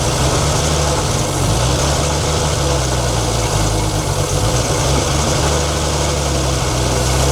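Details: 1942 Chevrolet Blitz CMP 4WD truck, 216 petrol straight-six: steady rough idle with dull churning rumble beneath; owner points out water pump noise, engine later boils and steams, pump seemingly not pumping.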